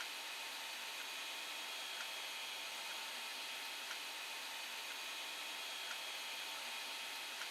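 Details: Creality Ender 5 Plus with replacement silent TMC2208 board, printing: quiet steady airy whir of part cooling and hot end fans, no ticking, rubbing or grinding; normal fan noise.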